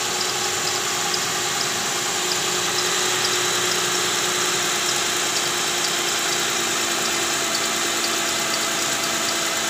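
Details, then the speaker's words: Toyota Camry V6 2GR 3500cc at idle, AC on, louder with AC; high chirp about twice a second from the fan belt area, traced to the belt tensioner with worn bearing and weak spring, gone after tensioner replacement. "Oke guys, jadi seperti ini bunyinya ya. Ini kalau AC on bunyinya lebih kencang, terdengar di area fan belt yang ikut dengan putaran fan belt ya."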